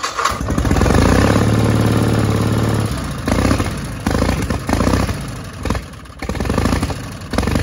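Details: 1960 Onan industrial engine for a homemade Model T replica truck, first start in many years: catches, builds to a steady chug, settles into an uneven but healthy idle with no knocks after the fuel pump butterfly valve position was changed.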